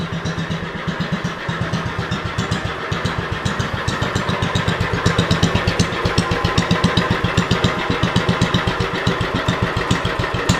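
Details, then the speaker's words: 40-year-old Lincoln Weldanpower 150 genset welder (about 1977–78) with a cast-iron Kohler engine, running after a welding demo: steady, even thumping at roughly four beats a second with a smooth exhaust note. Running normally. "The old machine is still putting away. Probably run for a while."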